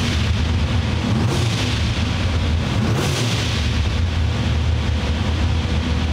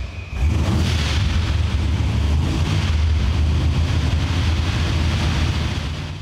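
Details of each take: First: Blow-through carbureted V8 at operating temperature on dyno, after idle air screw adjustment, idling about 1200 rpm with timing and fuel set: quick throttle blips rise and fall cleanly, no stumble or popping; crisp carb tip-in. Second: Blow-through carbureted V8 with no choke, started stone cold overnight: deep heavy rumble swelling and sagging unevenly as throttle is blipped to keep it running.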